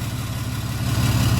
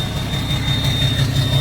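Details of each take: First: 6.7 Cummins hotshot pickup after injector replacement for a dead cylinder, reassembled: deep, even diesel idle with a steady low beat and no skipped firing pulses; no miss, revs cleanly and VGT kicks in, though it still needs a retune. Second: 2017 (possibly 2020) 6.7 Cummins diesel hotshot truck idling in park: a steady, lopsided beat with about three uneven stumbles a second from a dead cylinder. The miss is worse in gear or under load, there is no blow-by, and an injector failed.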